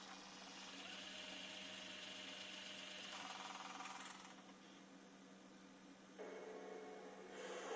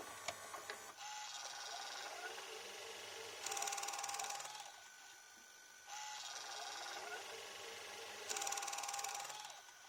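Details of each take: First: JVC HR-S9500MS VHS recorder (1998) under repair: small motor whirs and shifts pitch in stages as the tape threads, faint hum beneath; the tape loading belt is worn. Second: En fait, le dynamic drum, il marche parfaitement. Il marche, mais genre parfaitement.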